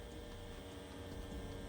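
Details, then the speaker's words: Tattoo machine with InkClaw Phoenix 1.5 grip (barred needles) running: soft steady electric buzz, even tone, no rattle or knock, very quiet with very low vibration; normal smooth running. "So as you can hear, it's very, very quiet. It's very, very low vibration, in my opinion, from what I've typically experienced."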